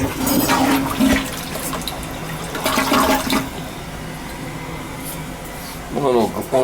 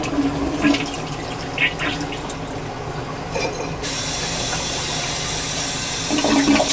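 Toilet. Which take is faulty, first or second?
second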